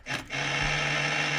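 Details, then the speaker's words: 1966 Ford Galaxie 500 with the key turned off: steady, raspy electric buzz holding evenly. The headlights-left-on warning buzzer is working as it should. "That's the buzzer for the... if I leave the headlights on. So that works."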